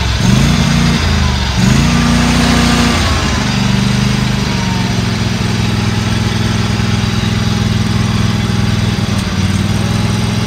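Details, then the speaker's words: Used Dixie Chopper XG2503 zero-turn mower, Generac gas engine, just started after seat sensor engaged; strong even drone, couple of quick rev changes early, smooth, no knocks; motor sounds good, revs up nice, handles work; normal running. "this thing appears to be a good working order motor sounds good revs up nice all the handles work"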